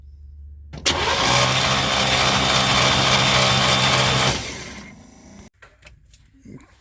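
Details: Chevy C10 pickup, 350 V8, sat in barn 30 years, 29°F: starter spins steadily about three seconds but never fires; ignition points not opening, 12 V from coil, condenser suspected bad.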